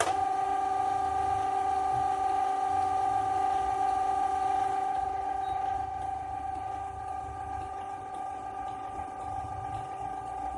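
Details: Printer running with a loud, steady mechanical drone, strong fixed tone and fast rough pulse; cause unclear; loud rough printer noise.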